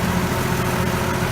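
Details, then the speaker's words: Allis-Chalmers 180 tractor, 301 diesel with low hours, after running the overhead: steady low diesel clatter at idle, even beat with no misses or knocks; smooth, little smoke, healthy engine. "Starts good, runs smooth. Sounds real good. Sounds like these 301 Allis always have. Real quick, real smooth. Doesn't smoke a whole lot. Just a all around really good engine."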